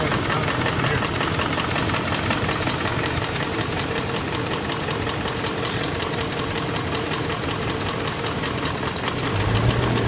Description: Been driving my 01 740i, starts up fine really no noise or ticking sound, but as I continue to drive for a bit, a faint ticking/rapping sound grows louder, and this video is posted about 20 minutes after I initially started the engine up.